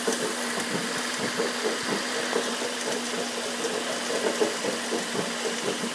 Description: 走行中にＣＶＴミッションから異音が出る車輌の点検動画